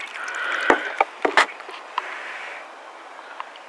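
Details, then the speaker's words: Water poured into a sunroof drain after it was cleared of mud and old leaves and a blockage was pushed through with a wire; scattered wet gurgles and slurping sucks as water drains freely down the tube, no pooling: drain clear. "You can hear it sucking that water in there. So our drain tubes are unplugged."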